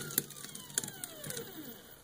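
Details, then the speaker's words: 3D-printed elliptical strain wave gear, about 45:1, turned slowly: irregular ticks, scratchy clicks and falling whine; 3D-printed ball bearing races in the wave generator run rough, blamed on print surface finish. "you can immediately hear that my 3d printed ball bearing races are a poor substitute for nice hard metal ones"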